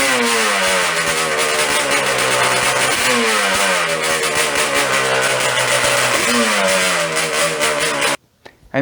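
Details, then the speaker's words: Yamaha Banshee two-stroke twin on cheap knockoff Keihin 38mm PWK carbs, pilot jet raised from 55 toward 80 during tuning: idles unevenly, pitch hunting and sagging between blips instead of settling; still slightly lean, getting closer. "And then here's what getting on the right track sounds like, but we're not quite there yet."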